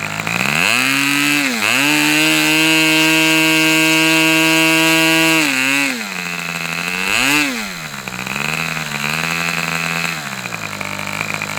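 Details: Customer's Fox twin-cylinder glow engine on probably its final run of the day, outdoors as it cools off: crisp, even high-pitched buzz, revs dipping and climbing smoothly with no misses; twin running healthy.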